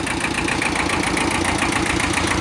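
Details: Kubota L Series (mid-1970s) diesel tractor, warm after about half an hour running, after internal oil leak repair: steady, even idle with regular light clatter, no misses or knocks; normal idle.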